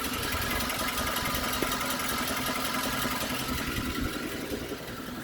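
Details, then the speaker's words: Suzuki Grand Vitara 2.4 J24B idling hot after a long warm-up, with thin oil: loose, fairly regular tapping of three to four per second from low down near the gearbox; cause unknown, balance shafts suspected. "Я не знаю потому что звук прямо сам внизу возле коробки начинается в тех местах вот отсюда как-то уже его даже меньше"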